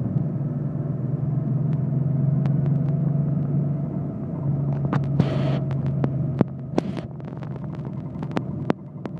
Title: mysterious '84 911 clicking noise